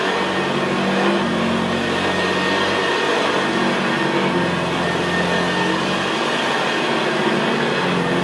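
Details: 1975 Hoover Senior Ranger U4002 vintage upright vacuum cleaner in use on carpet: steady, even, very quiet motor hum with a low gravelly brushroll growl, no surging or screeching; normal healthy running.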